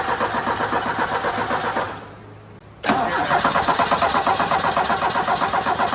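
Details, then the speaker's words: 1984 Ford Mustang SVO turbo four-cylinder, 5-speed manual, cranked with ether: starter churns about four turns a second, pauses, cranks again and never fires. Fuel pump or clogged injectors suspected; fueling was the cause. Crank no start, no fuel delivery. "Well, as you saw, the thing didn't start. I'm thinking it might be a fuel pump. It could be the injectors. They could be clogged."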